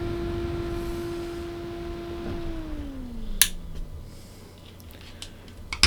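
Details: Replacement ball-bearing motherboard fan in an Elegoo Neptune 3 Pro 3D printer, held close to the mic, fitted after the original sleeve-bearing fan turned noisy in four weeks; clean, steady hum winding down smoothly, no rattle, buzz or grinding.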